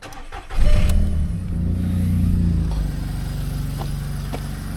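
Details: Car with an oil leak, suspected blowing exhaust flexi joint: cranks, catches, then settles into a loud, coarse puffing beat at idle, pointing to an exhaust blow. Suspected, not confirmed.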